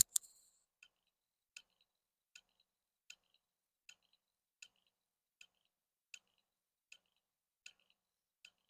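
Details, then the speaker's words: Mechanical hard drive from a NAS, powered on a bench supply: light sharp ticks repeating about every three-quarters of a second, the classic click of death of a failing drive. "Esto estáis escuchando es el click de la muerte de los discos duros mecánicos."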